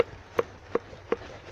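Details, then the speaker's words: VAZ 2106 rear right shock absorber: three sharp hollow knocks about a third of a second apart at end of travel when fully compressed, with sagged springs; cause suspected, unconfirmed. "конце хода когда он сжат тогда тарабанит также и 2 интересно почему только правы так выдавал я не знаю"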